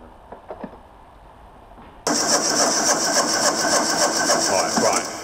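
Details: Mk1 Ford Fiesta XR2 fitted with a Jenvey throttle body and Omex 600 fuel injection: starter turns the engine at an even pace but it never fires. The fueling map was far too lean; it started after about ten times more fuel was added.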